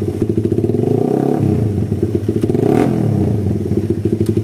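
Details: Suzuki Satria FU motorcycle (complaints of poor clutch, slight engine ticking, heavy pull, hard morning starts) after fixing hesitation blamed on an oversized exhaust with a stock vacuum carburetor and too-small jets: throttle blips up and settles cleanly, no more stutter, smooth throttle response.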